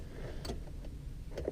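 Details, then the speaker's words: Car no-crank that happens after humid weather: one sharp click as the key turns, no cranking, then all dash lights go dead; poor battery connection from corroded wires at the terminal clamp starving the starter. "car just shuts off so I get it click but it doesn't try to turn over or anything and now all my lights are completely dead"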